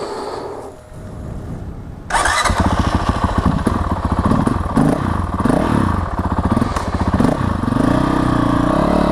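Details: 2019 Honda CRF450L with newly installed FMF Q4 exhaust, Vortex ECU on map 6, Steahly weighted flywheel and Rekluse clutch: engine catches at two seconds and settles into a quick, slightly uneven single-cylinder idle through a loud exhaust; sounds healthy.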